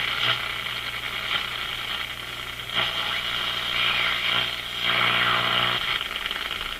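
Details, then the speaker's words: Zenith G615 tube radio (chassis 6G05, six tubes, no transformer) on first power-up with no antenna: steady hiss and crackle over a faint low hum, rising and falling; normal static from nearby noise sources, set working. "Let's turn it up a bit. Oh my gosh. There's no antenna, so it's picking up the close range noise sources."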